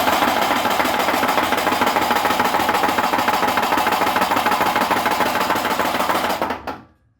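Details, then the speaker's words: 1959 Mercedes 190SL four-cylinder, rebuilt engine about 6,700 miles, cranking without spark, all four plugs installed: hard even knock about three times a second; oil pressure good, knock follows number of plugs fitted, cause unknown. "when all four plugs are in the engine it's knock knock knock knock knock and you'll hear that in a couple of seconds"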